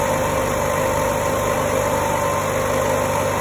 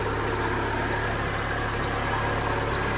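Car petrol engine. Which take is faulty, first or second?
first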